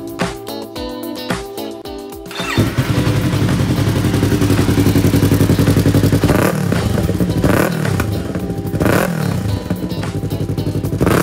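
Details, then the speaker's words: Yamaha R3 with aftermarket exhaust pipe: engine runs with steady thump, sharp pops between throttle blips over music; backfire, common on R3 with aftermarket pipe, before fix. "Bale ang backfire problem nga pala sa Yamaha R3 ay very common na lalo na kapag nakabalik ka ng aftermarket pipe."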